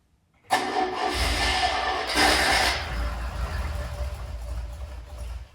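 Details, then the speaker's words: Tiger Cat E1, first start in ten years after flushing old fuel, compression and spark checked: cranks, catches raggedly, revs unsteadily and fades out; hard starting and dying from fuel starvation, carb main jets and idle mixture circuits then cleaned. "come on he's running out of fuel so spent the next hour taking out the main Jets demotion to the oil mixture screws and clear them with brake cleaner"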